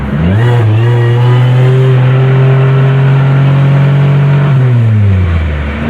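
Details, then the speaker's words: 2007 Pontiac Grand Prix on highway road trip, the day of an oil change: engine revs climb and hang at one high pitch without shifting, then fall and rise again; owner believes the transmission lost its gears; earlier knocking noise gone. "well i'm pretty sure that's it guys i've lost gears"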